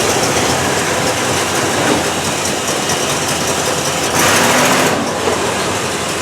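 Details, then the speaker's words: 1968 Cadillac DeVille convertible with new aftermarket carburetor, warm idle: loud constant hiss with quick uneven chatter, dieseling; seems to be blowing fuel out the carburetor, maybe choke not fully open. Unconfirmed; secondaries also not opening. "you could see it's still doing a little bit of dieseling um and that hiss sound you know sounds like it's blowing fuel out the carburetor um and that's why it's making that sound"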